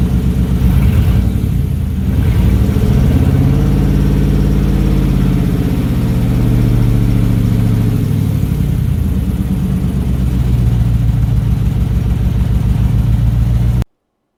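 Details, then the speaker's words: 1968 Ford Bronco with F-150 V8 running a Mustang tune, after valve cover O-ring resealing and an earlier fuel filter problem; steady even idle, brief throttle blip swells then drops back smoothly; running mostly right, slightly rich from the tune. "this officially marks the first time that it's run mostly the way it should it's running a little bit too rich because of the tune that's in there"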